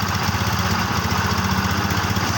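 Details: Yamaha Xeon scooter after repair, burnt stator coil replaced with a Jupiter MX one: quick even single-cylinder idle, steady beats, no misses or rattles; battery previously kept going flat.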